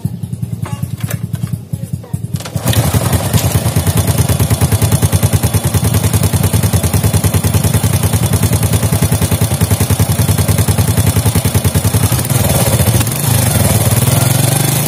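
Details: Fit-X New motorcycle engine after worn chain tensioner causing rattling on throttle was addressed: brief start then even, steady beat of about 200 pulses a minute, smooth with no rattle; healthy normal idle.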